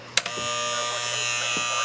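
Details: Likely 1967 General Electric C550A solid-state clock radio, tested once the switch was working again: a click, then a steady harsh electric buzz at constant pitch; the alarm buzzer works properly.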